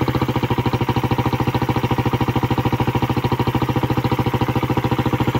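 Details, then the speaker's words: Suzuki Raider single-cylinder with a noisy cylinder head, after timing chain tensioner, chain and sprocket adjustment and a fix at the compression release: an even, steady beat of about 207 per minute; the clatter it used to make when revved is gone. "So nawala na yung nawala yung tunog niya yung lagatak. Ayan wala na yung lagatak niya."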